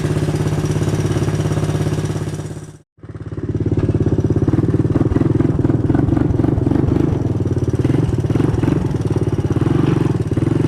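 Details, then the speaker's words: 1985 Honda ATC 200M single-cylinder with a new Chinese carburetor, first run in a year or two: steady thump with a light mechanical tick from the front valve; valve clearance needs adjusting. "So you can see she runs really good. You can probably hear that front valve there. I gotta adjust the valve clearance, but keep in mind it's the first time this has been running now in a year or two."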